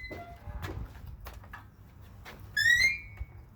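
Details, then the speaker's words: Gate swinging open: a loud squeal rising in pitch for about a third of a second. Dry hinge needing lubrication, for example with a spray lubricant such as WD-40. "Well, if it does, that's a sure sign that your hinges need to be lubricated."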